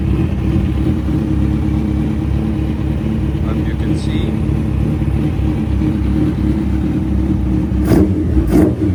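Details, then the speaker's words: Suzuki Hayabusa that had stood for months and idled rough with a misfire, now after fuel filter and injector work: an even, steady idle with two clean quick revs, no stumbling; the bike sounds great. "See what she does. She sounds great."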